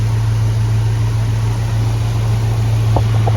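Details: Jeep Grand Wagoneer with a Hemi V8 swap, after new IAT, MAP, coolant temp sensors and EGR valve failed to help; a lumpy, uneven, misfiring idle. Fuel pressure reads 78–80 psi instead of 58–60, and a bad fuel pressure regulator is suspected.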